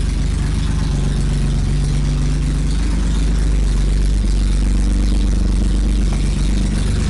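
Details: BMW E30 with swapped M30 six, first start after engine sat disassembled two years, exhaust ending at manifold downpipe: starts on one key turn and holds a deep, steady 800 rpm idle with no knocks, misses or hunting; healthy.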